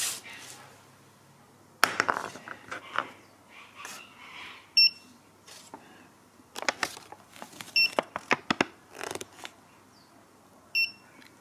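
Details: ViFLY Beacon lost-model alarm after being dropped from a height to simulate a crash: a short high beep about every three seconds over handling clatter, the crash pre-alarm; with no movement for 30 seconds the full alarm starts.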